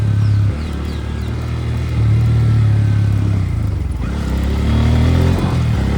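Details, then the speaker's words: Bajaj bike 2–2.5 months since its last service, ridden to the showroom: single-cylinder engine under way with a loose clatter from both the rear tyre side and the front wheel area, and it seems not to be picking up speed well. Cause unclear. "तो अभी देख रहे हो कैसी आवाज़ भी आ रही है गाड़ी में से, पीछे से भी आ रही है, बैक टायर की तरफ से, और आगे से भी आ रही है।"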